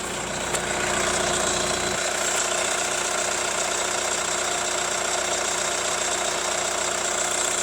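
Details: Hyundai ix35 CRDi 136 hp diesel, hot engine: steady light tapping about three knocks a second over the diesel clatter, also present cold; owner suspects hydraulic lifters or chain tensioner; engine knock at hot idle.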